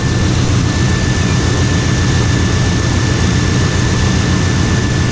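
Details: 1995 Chevrolet Suburban K2500 5.7 TBI after its water pump replacement, cold day, heat on, no more leaks: a steady, even low rumble with fan hiss, no knocks, ticks or misses; normal idle.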